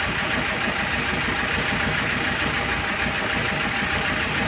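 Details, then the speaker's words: 1.6 petrol engine, block hot and near operating temperature, hot idle with a fast, light metallic clatter ticking steadily from the top, filmed close up, checking whether it fades at 3000 rpm; oil pressure lamp flickers when hot; heavily worn camshaft and bed. "я сейчас постараюсь это клацанье поближе снять а ну затихает или нет при 3000"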